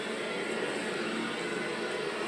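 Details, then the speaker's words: Hotel room at 3–4 am: steady, even hiss of water rushing through the plumbing behind thin walls as other guests shower and flush, with no knocking or hammering. Normal water flow noise in the pipes. "because you can hear every frickin shower and toilet flush at the Comfort Inn and Somerset PA"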